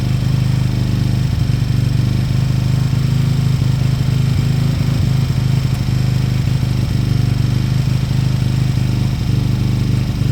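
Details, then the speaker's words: Beaten-up old Lexmoto motorcycle, many parts missing, idling after revival; steady, even low idle with smooth unbroken beat, no knocks or misses. Fuel then turned off, engine judged great, needing only new oil and a small service. Normal idle. "I've turned the fuel off now engine sounds great it needs nothing um obviously new oil and a small service when it's ready"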